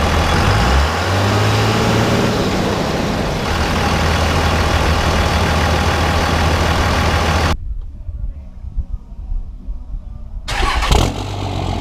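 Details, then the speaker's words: 2001 Dodge 24-valve Cummins diesel with stock intake and HY35 turbo: deep steady diesel clatter at idle, a clean rev and back down, almost no turbo whistle from engine or exhaust tip; healthy engine, normal sound. "all right so you guys can see we have no turbo whistle pretty much at all I mean you can hear that it's there the turbo is in a existence but you can't really hear any turbo whistle whatsoever coming from the engine or the exhaust tip"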